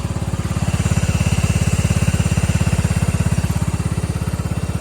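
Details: 1999 Cub Cadet HDS 2135 riding mower, very cold weather, choke troublesome, history of starting then dying when cold: single-cylinder chugs heavy, slightly uneven low thump near three beats a second; odd running, cause unclear.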